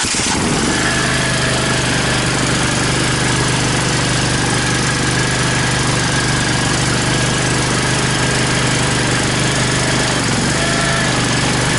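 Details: Toro Dingo compact utility loader after replacing the hydraulic lift ram (lift cylinder) seals and greasing: engine catches at once and settles into a steady, even drone with a constant hum; runs smoothly and healthily.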